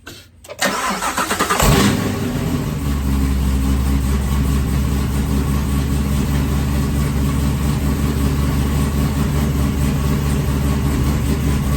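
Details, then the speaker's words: LT4 ZL1 Camaro after the damaged supercharger belt was replaced. A brief crank, a catch with a rev flare, then a steady, even idle with no squeal or rubbing: normal start and idle. "I'm just gonna give it a quick start up and then turn it back off just in case."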